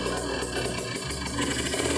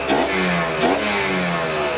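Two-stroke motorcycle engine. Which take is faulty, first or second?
second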